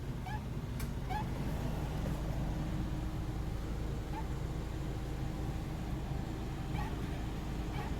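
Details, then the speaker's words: Suzuki Every DA64W with idling engine gives short chirpy squeaks as the steering wheel turns, from the steering shaft rubbing its rubber boot; greasing it cures it. "このキュッキュッって音ですね。でこれの原因がここが擦れる音なんですね。ここがちょうどシャフトとゴムのが擦れるんですけど、ここが擦れる音がで、ここに、油塗ってあれば治りますんで。"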